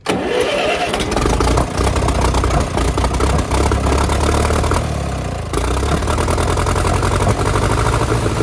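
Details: TEA 20 tractor with a lack-of-power problem thought to be fuel related, started after the fuel bowl was refitted with larger washers and clean fuel was confirmed flowing: it catches on the first turn and settles into a steady, even idle with no misses; normal.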